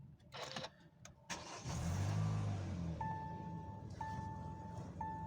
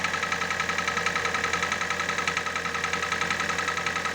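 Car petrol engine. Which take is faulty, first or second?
second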